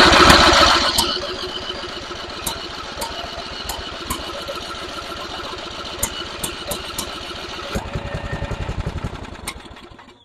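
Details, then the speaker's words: Simplicity rear-engine mower abandoned 32 years, revival start with added choke: catches loudly, then a steady chugging beat around four per second holding several seconds before winding down; starts and runs normally. "it's gonna run"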